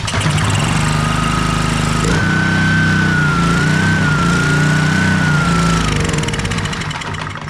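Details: Honda pressure washer after carburetor cleaning, having sat a year in a basement, started on choke and run briefly without water: the small single-cylinder engine catches and settles into a fast, even beat with a faint steady whine, running normally.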